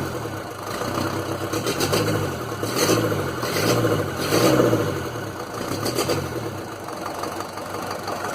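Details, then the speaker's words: Land Rover Series 2a 88, 2.25 diesel, first start after glow plugs, lots of blue smoke: lumpy uneven idle beat about once a second; misfire, owner suspects an injector, plus a knock possibly a valve, unconfirmed. "I reckon it's definitely one of the injectors because it's misfiring. I don't know if you can hear it, but there is definitely some kind of a knock, and I don't know whether or not that's the a valve."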